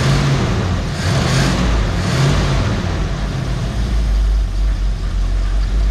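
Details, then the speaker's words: 1969 Mercury Cougar H-code 351 V8, automatic, dual glasspack exhaust, just pulled from storage: lumpy uneven fast idle with loping stumble; owner thinks it is running on about seven cylinders, misfire suspected, unconfirmed. "i could tell right off the bat i think this thing's running on about seven cylinders right off the bat"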